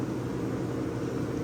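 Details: Vintage Westinghouse 10,000 BTU window A/C; no drain hole, so the fan slings condensate from the base pan; steady even hum, low drone, soft fan rush, no rattles or knocks; normal cooling operation.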